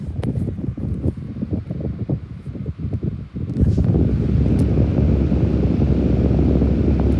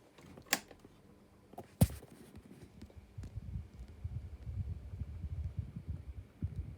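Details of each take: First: AC desk fan running on high: steady, low, even whoosh with no rattle or tick; quiet, powerful fan, normal operation. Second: Desk fan switched on: two switch clicks, then an uneven low throbbing rumble as it spins up on very bad, worn bearings.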